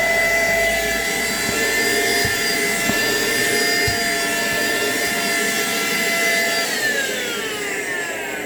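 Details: Philco portable vertical cyclone vacuum cleaner, test run after repair of a strange noise: a steady high motor whine over an even rush of air, no grinding or rattle, then a smooth wind-down. The motor runs normally.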